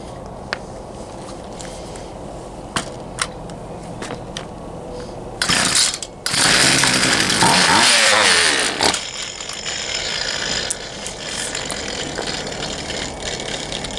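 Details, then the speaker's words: Poulan Pro 222 38cc chainsaw with bar, chain and side cover off: short ragged two-stroke burst that stumbles and dies; fuel lines were misrouted, so fuel isn't reaching the carburetor properly. "all right all right everybody as you saw it wanted to run but it just it wouldn't"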